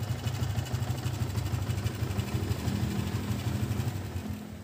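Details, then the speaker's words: Yamaha Vixion new model, owner complains rough engine after recent block replacement: rough idle with fast even tapping clatter; loose cam chain, automatic tensioner converted to manual and not adjusted; chain replacement planned. "ini dugaan saya ada pada sentrik ya atau keteng biasa orang bilang dan ini pengencang otomatisnya otomatis tensionernya dibuat manual mungkin karena ada kerusakan sebelumnya"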